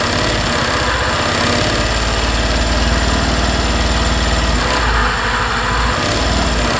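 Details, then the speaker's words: 2020 Suzuki Address 125 scooter idling with drivetrain cover removed: rough rattly clatter under the buzz persists, so the noise comes from inside the engine; noise disappears when throttle is applied. "Sau khi tháo bộ phận truyền động và khởi động máy kiểm tra thì xác định có tiếng ồn phát ra từ động cơ."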